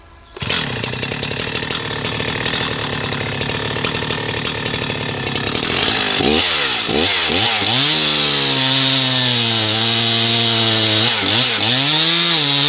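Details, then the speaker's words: Husqvarna 2014 365 Special or 2006 61 chainsaw with 18-inch bar, cutting wood after cold start: high, steady two-stroke scream that dips and recovers smoothly as the chain bites; healthy under load. "I just love these 365 brilliant little sauce so let's do a couple of cuts here with it heck with the 61 both of these saws have 18-inch barn chains on"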